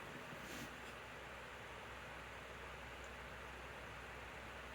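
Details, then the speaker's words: 2019 Lasko model 2018 12-inch table fan on full/high speed; steady, soft rush of air with no ticking, rubbing or wobble; running quietly and smoothly. "It's quiet, and it produces a nice, gentle breeze, which I absolutely love."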